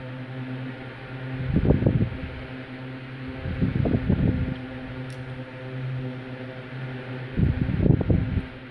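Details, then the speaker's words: Westinghouse LivelyAire 10LA4 10-inch single-speed oscillating desk fan, circa 1960: a steady motor hum with a whoosh that swells about every two seconds. The oscillator works, with a rather fast sweep. "it has a rather fast oscillation sweep but i don't mind"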